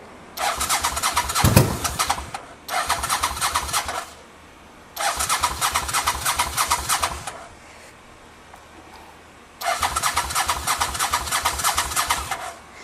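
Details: 1985 Honda VT500 V-twin after engine rebuild, choke on, minimal exhaust fitted: four cranking bursts, catches briefly, fires roughly and dies each time; owner suspects spark plugs, tries starter fluid.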